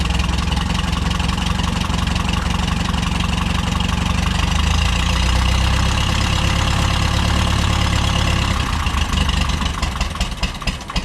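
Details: Case VAC tractor that stopped cooling after a coolant change, now fitted with a new water pump and serpentine belt: it catches and settles into a steady, even idle, rain pattering, with no knocks.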